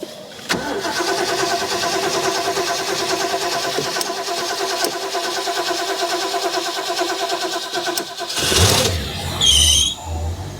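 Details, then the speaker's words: Water ski boat engine just after a refurbished carburetor was installed, first start in the driveway: short crank, catches at once, settles into an even steady idle with no misses, idle speed low; normal start and idle. "oo she jumped to life what are we idling at we're low where's my Flathead I can hear that vacuum there's a little more idle it is running"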